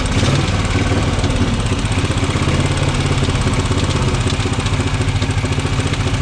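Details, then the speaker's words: Norton Model 50 single-cylinder motorcycle, first start of newly bought bike: rapid steady thumping held high on throttle, no settled idle; only runs when revved hard; owner suspects bunged-up carb, worn points and coil. "I mean, you might have noticed just how hard I was having to rev the thing to keep it running earlier. Much harder than I should have done."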